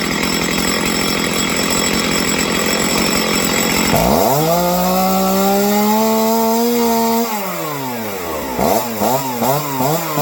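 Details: Stihl chainsaw during carb tuning after a low-end idle fault: after the cut-off it rises cleanly to a steady high buzz, drops back, then takes quick clean blips with no stumble or hanging revs.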